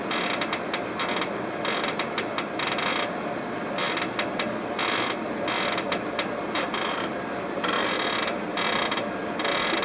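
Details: Dry, ratchety creaks in irregular bursts over a faint hiss with no engine note underneath; a creaking noise of unclear origin.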